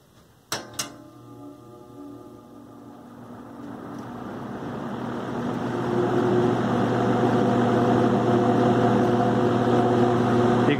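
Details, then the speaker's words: Vintage New Home 20-inch box fan running with blades on; steady hum with a rough, rattling whir from a worn-out motor bearing, less noticeable on medium or low speed. "can definitely hear the bearing run out there. Less if it's on medium or low."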